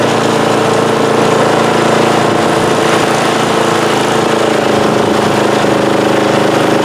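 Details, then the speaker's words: Snowblower engine after a service with a replaced carburetor, running on ethanol-free fuel: a small engine holding a steady, even drone at constant speed with no surging or misses; very quiet for a snowblower, normal running. "yeah that's running pretty good it's actually a very quiet engine as far as snowblowers go"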